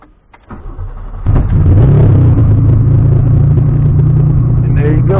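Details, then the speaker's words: After taking a lot of fuel out and lowering the cranking setting to 12 in TunerStudio, quiet cranking, then the engine fires about a second in and settles into a steady running rumble; it starts. "starts up. So now I got it running."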